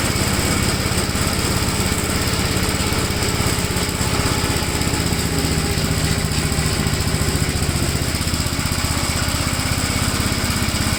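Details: 1957 Gravely tractor mowing test: strong, steady single-cylinder drone holding even speed under mowing load, no misses or knocks; runs pretty good, normal running under load.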